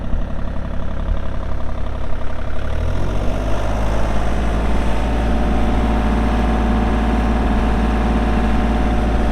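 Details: 2019 Kubota U35-4 excavator, 780 hours, diesel: engine fires about three seconds in and settles into a deep, steady idle with no knocks or misses; runs normally.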